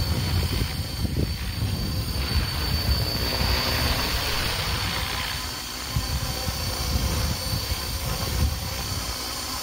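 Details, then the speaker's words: Helicopter with the tail rotor perpendicular to the observer: a faint high tail-rotor screech over a low, steady main-rotor thump with a soft whoosh, slower and deeper than the drone and less gurgling. Normal rotor sound. "notice how the sound from the main rotor is at a much lower frequency because it spin slower than on the Drone but it makes less of a gurgling sound as if something as if the Wake from the rotor is hitting something"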